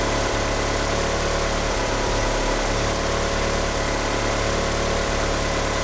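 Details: Car fitted with 850cc injectors, at idle: a loud idle with an uneven, lumpy beat and small dips in the note, with a slipping power steering pump belt. The car won't rev up. Rough idle from injectors too large for the engine.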